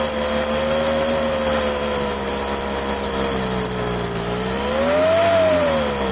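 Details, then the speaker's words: Poulan handheld two-stroke leaf blower after fuel line replacement, warmed up at half throttle: whine wanders up and down, hunting; owner suspects air still purging from the fuel lines or a carburetor problem. "sometimes it takes a little while for all the air to get out of the fuel lines and I read that and like I said before sometimes it's something wrong with the carburetor"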